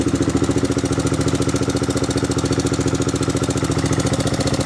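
Steady idle with a light, even tapping about three or four times a second riding on the engine note, likely loose valve lash.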